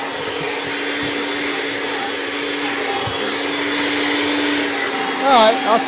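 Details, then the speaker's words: Kirby Generation 4 80th Anniversary vacuum after replacing the suction fan, sticking safety switch held with a screwdriver: steady high-pitched motor whine at even pitch with clean fan rush; running smoothly at full power. "so it's actually running pretty good and this thing's actually running full power"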